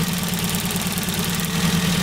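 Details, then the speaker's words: Ford Focus petrol engine idling lumpy and uneven: single-cylinder misfire on number 3, pinpointed by pulling each HT lead and hearing no change on the bad one; cause is a faulty HT lead needing replacement. "So, by simply just taking off each HD lead, you can tell the difference because of each, you know, you'd hear it misfiring on each different one."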